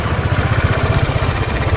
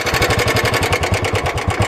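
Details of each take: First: Motorcycle riding in Delhi after the mechanic added fresh oil; the low oil, about 2000 km after service, had caused a crank-breaking-like noise. Steady, even thump under way with no knocking; the noise is gone and the sound is back to normal. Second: Royal Enfield Classic 350 motorcycle, parked a month and rusted after rain, sound changed since a Yamunotri ride: quick single-cylinder idle thumping with a loose clattery edge; abnormal engine noise, cause not yet known.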